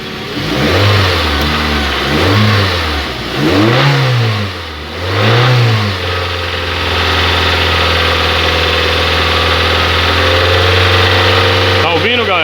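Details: Hyundai Tucson 2.0 16-valve, 2009/2010, 137,000 km, with a reported engine noise and stalling: engine blipped up and down several times, then settles to a steady run, with an uneven noise riding over the revs. Cause not confirmed.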